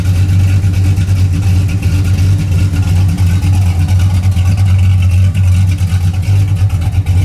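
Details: 1981 Camaro V8 after a top-end swap to a roller cam, aluminum heads and a new intake, retuned, warm, with 35–40 psi oil pressure: a deep, even idle with a mild cam lope, steady and unhurried, no knocks or misses. It is healthy.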